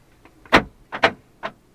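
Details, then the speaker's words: Topless Fiat 500C Cat S salvage repair, door lock actuated from a diagnostic tool: three crisp clicks about half a second apart; the lock works even though the tool reports failed to execute. "Door lock. If I won't show you the door, but you'll hear it click."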